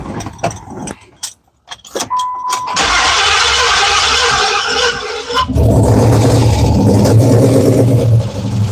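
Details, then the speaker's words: Third-gen 5.7L Hemi with open headers: very loud crank and catch, then an uneven, lumpy idle that struggles to keep running and smells rich, from a vacuum leak with something still disconnected on the intake plenum. "Okay, we still have a vacuum leak. Okay. And that's our problem. I've still got something disconnected on that intake plenum."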